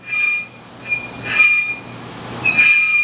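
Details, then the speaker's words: 1969 Dodge Charger four-speed: pushing the clutch in gives high, piercing squealing bursts like a whale over faint engine hum, from a worn clutch throwout bearing; clutch also rusty from sitting. "when I pushed the clutch in, thing sounds like all hell's breaking loose. It's got like a sounds like a whale in the ocean, man."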